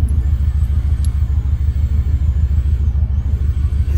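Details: Subaru Impreza petrol engine after new spark plugs fixed its misfire: idles with a deep, steady rumble and an even beat, with no stumbles or skips.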